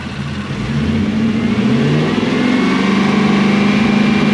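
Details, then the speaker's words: Toyota Celsior (LS400-badged) 1UZ V8 after fitting a second-hand airflow meter, whose supply was found at up to 20 volts: revs brought up climb and hold smooth with a clean drone, no popping: normal revving. "Does that now sound like it's meant to sound? Yes. Is it popping? No."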